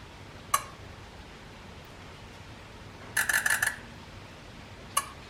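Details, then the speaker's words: 6.0 Powerstroke Ford F250 at 227k miles, injector buzz test after adding Rev X: sparse faint ticks and about five soft clicks. Many injectors click very quietly or sometimes not at all, and Rev X didn't make them louder. "I have a lot of injectors that are not even clicking I mean they are clicking but very quietly really nice them all the injectors clicked about a lot of them where it's so quiet you could barely arm so the Rev X did not make them click any louder they still click but very quietly sometimes they wouldn't click at all"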